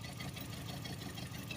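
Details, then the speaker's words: Four-cylinder engine where each coil pack fires two spark plugs: a low, lumpy idle with an uneven "flump" in the beat, running on only three cylinders. A single-cylinder misfire. "here's the problem with a cure racer you hear it flump flump flump flump flump flump flump it's hitting on three or four cylinder"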